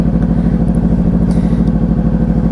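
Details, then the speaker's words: Motorcycle started with the start button in neutral with the clutch squeezed in: engine running at a steady, even fast idle with no knocks or misses; sounds healthy. "With that clutch still squeezed in, I'm going to use my thumb to press the start button, and you'll hear the bike start up."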